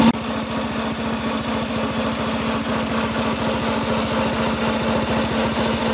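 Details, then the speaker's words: Homemade small-engine drift trike, still warming up: fast steady putter with clattery rattle on top; chain sounds loud though owner says it's fairly tight, suspects it needs graphite lube. Cause suspected, not confirmed. "yeah I don't know why it's it's the spring so loud the chain is actually pretty tight"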